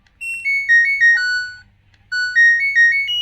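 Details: LG Turbo Drum Smart Inverter washing machine, control module repaired (power indicator lit but it would not start; 16 MHz part replaced): board boots with its normal bright rising-and-falling startup chime played twice; error code shown because not connected to the tub.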